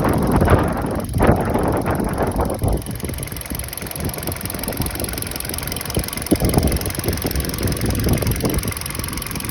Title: Стук двигателя Hyundai Solaris 1.6 2013